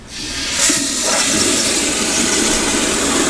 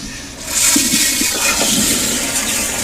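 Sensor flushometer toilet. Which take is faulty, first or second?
second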